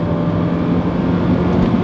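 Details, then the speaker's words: Car cabin on the freeway at about 75 mph with AC off, before the door weatherstripping was replaced with backer rod: loud, steady low roar of wind and road noise from worn door seals. "glorious big block VTEC 75 AC off and yeah definitely road noise that we need to repair"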